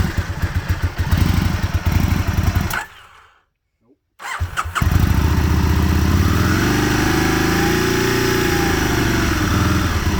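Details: 2001 Aprilia Futura motorcycle struggling to idle in winter: engine idles unevenly with uneven pulses, stalls briefly, restarts and cannot hold a steady idle; rough idle that the owner could not fully fix.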